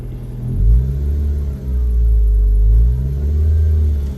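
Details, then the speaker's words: 2013 Mazda 3 makes a loud, hoarse noise since an oil change; deep rough rumble swells as revs climb under acceleration and drops back off throttle; cause unclear. "Le hice cambio de aceite, pero desde ahí empezó a sonar así, algo fuerte, como ronco."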